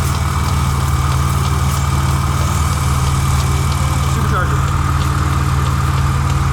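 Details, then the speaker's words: Supercharged engine at idle: steady low rumble with a light quick tapping about four per second; source unclear, possibly the belt. "ones making noise over here pumpkins something's tapping oh it might be the belt yeah it might just be the belt"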